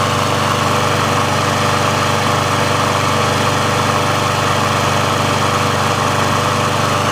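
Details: Briggs & Stratton engine on a Sears Craftsman mower after service/repair, warmed up: smooth, steady single-cylinder drone at constant pitch with no misses or surging. The auto choke opens properly when warm, so running is normal.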